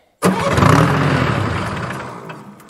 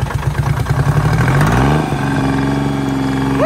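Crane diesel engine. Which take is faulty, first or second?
first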